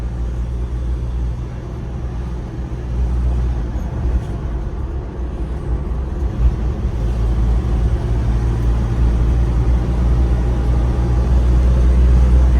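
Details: Toyota Qualis after full mechanical work including suspension, silencer and clutch set replacement: steady low engine drone and road rumble swelling smoothly with speed, no knocks or clunks; normal running.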